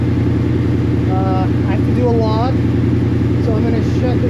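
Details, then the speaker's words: 1989 Mustang GT Foxbody restomod with Gen 2 Coyote engine, just flashed with a base tune: steady, even idle with smooth low rumble, no stumble or hunting; the tune appears to have fixed the stumble, normal idle. "Okay. All right. Let's start it. All right, I actually think it fixed my uh my stumble."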